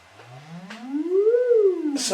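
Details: Celestion Ditton 25 T1600 woofer, stored 28 years and previously scratchy, on an audio sweep with the spider held centred by hand: clean sweep up and down with no scratch or buzz; voice coil runs free.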